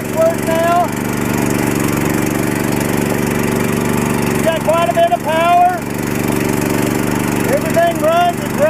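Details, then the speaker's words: Mitsubishi 25–30 hp tractor swapped to a Harbor Freight 420cc engine, belt-driven, running after the swap: steady even single-cylinder drone with no knocks or misses, runs and drives as it should: normal running. "everything runs and drives as it should the little tractor really has it has done wonders since we've started this"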